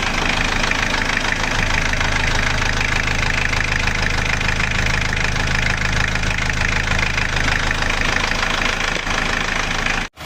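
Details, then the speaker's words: Chevrolet Trooper diesel after engine rebuild, run a while, thermostat installed, engine warm at 75°C: smooth even diesel idle at constant beat, no knocks or misses; healthy. "ini setelah diturunkan suaranya seperti ini ini sudah kita hidupkan sudah agak lumayan lama dan termostat sudah kita pasang temperatur mesin 75 derajat Ya sudah panas"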